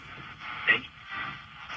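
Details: 1942 Zenith 7G605 "Bomber" Trans-Oceanic tube radio after repair (capacitors replaced, dirty loctal tube sockets cleaned): clear, narrow-band broadcast audio with only light hiss, no hum or crackling; receiving cleanly.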